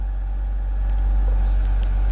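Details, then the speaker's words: 2007 BMW 525i at steady, even idle with no misfire after replacing the faulty cylinder 1 ignition coil that had set code P0301/P0300. "يعني زي ما انتم شايفين اخواني لما باجي بشغل ما في عندي مسفير."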